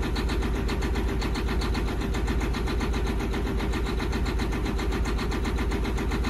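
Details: John Deere 9530 tractor, 13.5 L diesel with fuel pressure fault code, at low idle with heavy smoke: loud, uneven clatter over the rumble, running rough; smooths out at 1350 rpm when pilot injection comes off.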